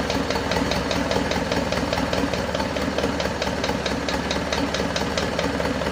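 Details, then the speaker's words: Isuzu Panther 2.5 diesel, first start after overhaul and turbo/intercooler upgrade, engine assembled but unstarted for about two weeks: fast, light tek-tek ticking over a slightly rough idle. Mechanic thinks a part hasn't settled yet and warms it up. Loose valve guides. "masih ada bunyi tek tek tek dikit Lur Ya itu bisa jadi dari botolan masih belum balik dengan sempurna"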